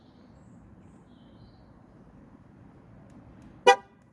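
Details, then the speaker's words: 2015 Ford Focus ST3 TPMS learn mode: quiet background, then one short sharp horn chirp confirming learn mode was entered after cycling the ignition. "1, we should get a beep in the third one. 2, and it should beep now. Hear it? Fantastic."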